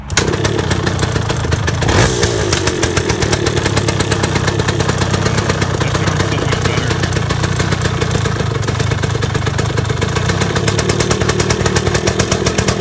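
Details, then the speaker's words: 1978 Yamaha DT175 Enduro two-stroke, first run after rebuild, on choke: crisp, steady, even popping at fast idle while warming up; sounds tighter and healthier, though owner suspects piston slap and a rattly clutch basket. "It sounds a lot better. It sounds a lot better, sounds Like a lot healthier."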